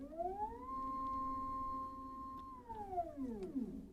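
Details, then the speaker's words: EpicSaw PowerLift motor on a Woodland Mills HM130 Max sawmill: whine ramps up, holds steady, falls away while the cable tightens but the head doesn't move under load; owner suspects internal slipping, maybe wrong-size key. "it seems to me that something's slipping inside maybe the key is the wrong size or something I mean it sounds like it's doing something it's definitely putting pressure on it"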